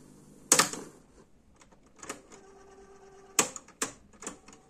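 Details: National RX-C46F radio-cassette deck, cassette section under repair and servicing: sharp irregular mechanical clicks and clunks with faint motor hum between them, as the auto-stop trips.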